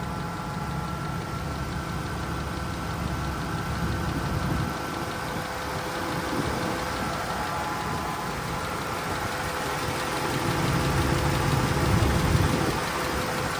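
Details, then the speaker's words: Misfire at idle on a 2012 Dodge Ram 1500 Hemi V8 after an engine rebuild: the cylinder 6 misfire remains, heard under the hood as a faint uneven stumble every few beats. It sounds smoother than before, but the check engine light returned. "Does feel smoother, though. Let's see how it's sounding under the hood. It down. It does sound better. You can still hear it."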